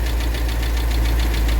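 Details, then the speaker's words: 2017 Jeep Grand Cherokee SRT 6.4L Hemi, oil level good, at idle: sharp, rapid, evenly spaced knock over the low rumble; internal engine noise, motor judged no good and needing replacement. "That's definitely an engine noise, and that's bad news for the customer, because what happened, these cars, a lot of times people drive these cars like crazy because they have a lot of power, because it's a 6.4 Hemi motor."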